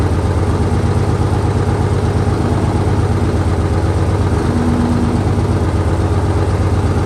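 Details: 1968 Dodge C500 truck on a day about 15° colder than before, started after a shot of starting fluid and a jump from an extra truck; steady low idle, even beat near 170 a minute, no knocks or misses; normal idle.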